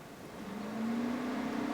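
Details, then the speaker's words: Fiat 500C (Cat S salvage repair) radiator cooling fan run on both speeds via diagnostic menu after fixing an MoT fault where it was banging; now a smooth even hum rising slightly and holding steady, no banging or scraping, spinning as it should. "I can hear it straight away you probably can't and there's no noise it's just the noise of the fan spinning"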